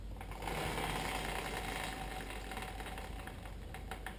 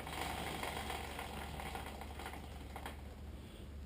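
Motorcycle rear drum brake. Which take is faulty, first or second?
second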